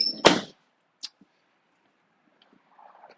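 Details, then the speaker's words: 2004 Ford F-150, no power windows after sitting three days under snow and ice; key on, right rear and passenger front switches give relay clicks but the window motors never run, with a door thud heard first. "right rear clicky clicky no rolly rolly passenger front come on clicky clicky no rolly rolly"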